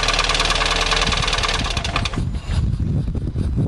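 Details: 2010/2011 Fiat Palio 1.4 8V Fire: quick light ticking over the idle at roughly three per second, then shutdown; noise appears to come from the cylinder head, valve cover to be removed for inspection, cause unconfirmed.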